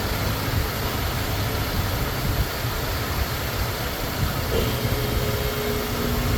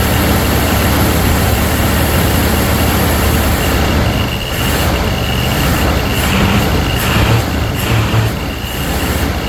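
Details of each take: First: Ford Thunderbird Town Landau with a new fuel pump and rebuilt carburetor: steady, even low rumble with no misses, knocks or hunting; back to normal idle, though a leak was then spotted. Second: Ford Thunderbird Town Landau with a new fuel pump and rebuilt carburetor, first start: low, uneven V8 rumble that stumbles and lurches; misfiring because the coil wire was off.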